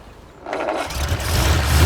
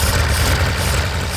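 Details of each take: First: 1930s Wolseley Hornet six-cylinder after clearing a blockage from the fuel line: cranks briefly, catches and settles into a firm even low beat; all six cylinders firing, normal idle. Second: 1930s Wolseley Hornet six-cylinder, first run during restoration: low lumpy idle with uneven beat and irregular exhaust dips, running rough, not on all cylinders; misfire not caused by plugs, fuel intake suspected, debris later found in line.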